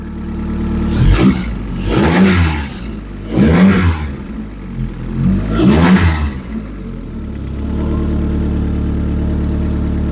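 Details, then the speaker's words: YB Cosworth turbo MK1 Ford Escort after the fuel leak repair, first run in 5 weeks: four clean, smooth throttle blips, then a steady idle. Revs freely with no leaks found. Normal revving. "Okay, that sounds pretty sweet. And I've got no leaks."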